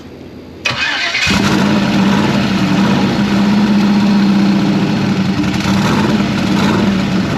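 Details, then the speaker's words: Turbocharged hot rod, first start since last October after the turbo kit install, with 40 psi oil pressure and 101 psi fuel pressure. After a brief crank it catches cleanly once given a little gas and settles into a strong, steady idle. "oh look at that huh that was pretty cool like so like you're cranking and it had nothing yeah and then it like lit and you gave it a little gas"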